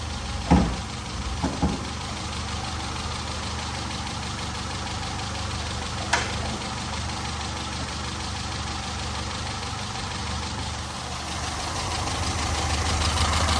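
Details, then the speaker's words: Peugeot 207 Verve farm find, long-sitting, engine bay view: steady idle with light fast ticking and a few soft clunks; the tick is described as normal for these engines. "got the normal ticket these do. But that's just normal. Just what they do."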